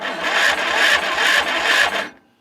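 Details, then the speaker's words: Murray 40-inch-cut yard tractor, 12.5 hp engine, in rough condition: starter cranks at about three compression pulses a second with no firing; no spark found, owner suspects the magneto or ignition coil. Starter was smoking hot, cable looks bad. "All right, so I tried to work on the spark and I can't get spark on it. So I think the magneto bat is better, or the ignition coil."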